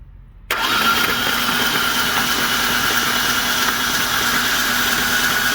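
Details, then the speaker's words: Ford Ranger engine hydrolocked with oil after the truck went on its side in a ditch: spark plugs out, ignition and fuel pump relay disabled, starter spins fast and evenly without firing, clearing oil; driver's side cylinders had much more oil. "got the spark plugs out and we're gonna go ahead and crank over and see if we can't get anything out of the cylinders"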